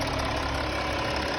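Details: Audi Q7 diesel idling with a steady hiss over the clatter, heard around the valve covers, from leaking injector seals; the fix is to reseal all injectors and replace the valve cover gaskets.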